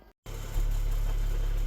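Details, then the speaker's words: International DT466 diesel, started cold (engine about 68-70°, oil about 70°) right after valve adjustment: smooth, even low idle rumble with no ticking or tapping; valvetrain quiet and healthy. "Como se escucha el motor. Serenito. Miren eso."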